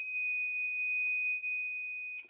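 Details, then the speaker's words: Multi-function DC power supply kit's buzzer used as a rudimentary capacitor ESR tester (red lead to positive, other side to buzzer): a clear, steady, full-loudness high-pitched tone means a good capacitor; muffled or quiet would mean marginal to bad. "And if it sounds like normal, that's a good capacitor. If it sounds a little muffled or quiet, that's a marginal to bad capacitor."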